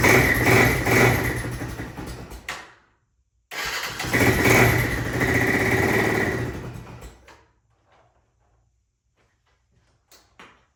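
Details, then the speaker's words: 1996 Honda FourTrax 300EX ATV with airbox disconnected: the single catches, runs briefly, dies, restarts, then fades and stalls; won't hold idle, owner suspects the carb and missing airbox back pressure. "So, as you can tell, it does start up. Um, it does run, but it won't stay idling."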